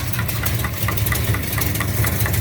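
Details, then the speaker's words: 1969 Charger V8 at idle: sharp even tick about five a second in time with the cam; rocker hitting the valve cover, felt possibly at cylinder 3, later found to be a backed-off rocker jam nut giving excess lash. "But I got a rocker alarm or something hitting this valve cover."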